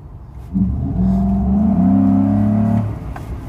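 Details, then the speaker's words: 2011-2014 Ford F-150 5.0L with Spectre 9976 cold air intake installed, full-throttle takeoff on road: throaty pull climbing in pitch then easing off, strong intake roar; passenger surprised at sound and power, normal acceleration. "that was my dad he's apparently surprised at the power of the sound and the power so I think that was pretty successful that really makes a difference guys"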